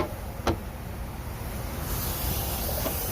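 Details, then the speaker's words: Honda Civic EG hatch with a Maxpeedingrods turbo that blew after three dyno pulls (blamed on a restrictor starving it of oil): soft steady hiss over low engine rumble, pressurised coolant escaping from a leaking hose. "can actually hear it hissing from all the pressure cooling leak on that hose right there"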